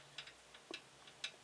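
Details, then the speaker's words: Protomaker Black Sprint 3D printer Z carriage rocked by hand, motors off: faint irregular light clicks as the loose linear bearings wobble on the smooth rod; swapping to LM8LUU bearings only partly helped. "And you can possibly see, alright, it's supposed to slide up and down, but see how much wobble there can be in that. And I can hear it almost rattling"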